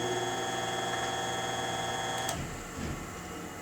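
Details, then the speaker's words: Dumpster-found 30-inch industrial pedestal fan motor on low speed, cut switch bypassed. A steady whirring hum with a faint ticking rattle about four times a second. Bad bearings are suspected; new bearings are ordered. "motor is kind of noisy too my conclusion to this is that I think the bearings are bad in it"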